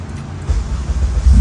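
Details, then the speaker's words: 2001 Civic with a K24A swapped in (auto to manual): head cleaned and valves lapped, FN2 Type R intake, PLM header, 3.5in cold air intake, 3in exhaust. Deep, slightly low, uneven idle while cold, because there's no idle valve; it smooths out once warm. Cam and ignition timing were tuned for smoothness. "it doesn't have an idle valve, so it idles a little low until it gets some temperature, and then it smooths out."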